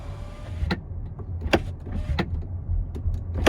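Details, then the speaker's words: Tesla Model X, six months old with 7,000 miles; window motor drones with sharp clicks and pops, really bad near top of travel; owner suspects the window regulator; power window noise near top of travel. "This window makes a really bad noise when you get it toward the top."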